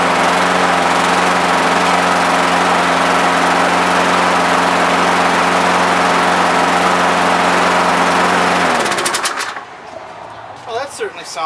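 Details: Toro lawnmower that previously would barely run, after repair: runs steady and even at constant speed for about nine seconds with no surging or stumbling, then shuts off; running well now.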